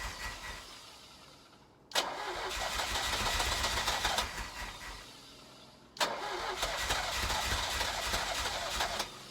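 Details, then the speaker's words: 1983 Ferrari 308 QV under rebuild with weak battery and fuel leak: two quick uneven cranking bursts with a few weak firings, chugging, never catches as battery power runs out; cranks but won't start, cause not yet diagnosed. "the car is firing over its almost trying to start yeah I can hear it kind of chugging but then I just lose my battery power"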